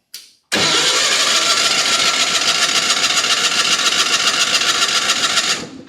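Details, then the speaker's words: Miller Bobcat 225NT welder/generator with older Onan engine, spark tester on grounded plug: five seconds of steady rhythmic cranking that never fires; no-start because there is no spark. "And you can see there's no spark. So that's the problem we're going to be tracing down today."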